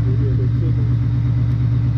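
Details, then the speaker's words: 2018 Ford Mustang V8 idling after Ford's short-block repair for typewriter tick; camera near the wheel well. Smooth, steady idle, no typewriter tick, only a faint light tapping, which is normal direct-injection fuel-system noise. "Yeah, so a little tap in here and there. You can hear there's something. Now that is the fuel system. That's normal."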